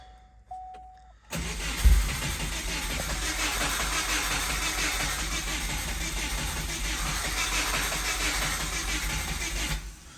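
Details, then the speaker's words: 1997 Subaru Impreza with 2004 WRX EJ205 turbo swap, cranked with fuel off before compression test: several seconds of uneven, lopsided cranking; owner suspects a dead cylinder, possibly a bad valve. "so you can hear it cranks a little funny not in love with that"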